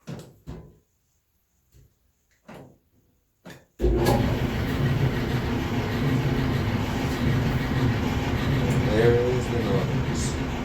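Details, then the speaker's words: Samsung dryer starts up into a loud, heavy rumble with an uneven thump; cause is flat spots on the drum support rollers, fixed by replacing roller and shaft together (part DC97-16782A). "samson dryer complaint making loud noise in operation cause flat spot on the support rollers"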